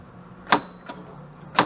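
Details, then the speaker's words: 2012 EZGO TXT gas golf cart that wouldn't do anything, key on, pedal pressed: one light solenoid click and no turnover; battery reads 12.1 V and drops when the pedal is pressed; solenoid click, no crank from flat battery. "got a light solenoid click there getting a little operation out of the clutch see it's trying to let's see what we got on this battery here"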